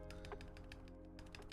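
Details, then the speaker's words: QK Alice Duo keyboard after lubing the long-key stabilizer: repeated presses give clicky taps with a slight loose rattle; close but still rattling, less than before, more lube needed inside. "Nope. It's close, but it's still rattling."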